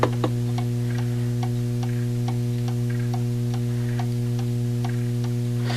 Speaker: if you get it just minimal swing tick tick it sounds like it's got to go that way just a hair